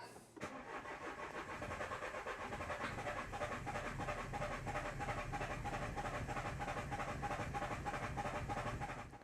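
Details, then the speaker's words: 2013 Renault Scenic III 1.5 dCi diesel (K9K636) with four new injectors: steady cranking at about three turns a second with no start, because ball bearings left in the fuel rail after a test blocked it. "you'll never guess what's wrong with this car there's ball bearings and the fuel rail the guy i got to do the test forgot to take them out that's why the thing's no starting"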